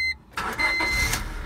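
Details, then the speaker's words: 1999 Honda Civic after replacing the damaged ignition tumbler and wiring the new immobilizer harness straight to the circuit board: a short chime, quick crank, and the engine catches straight away and settles into steady running; a clean normal start. "car starts just Lilith nice and easy nice and simple"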